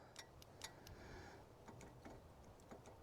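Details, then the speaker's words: Grapple that opened and dropped a log: faint sharp clicks at uneven intervals from the open control switch, clicking only now and then; owner suspects a bad or sticking control switch, not confirmed. "I think I might have a bad control switch here, because the open switch, I can hear it click once in a while,"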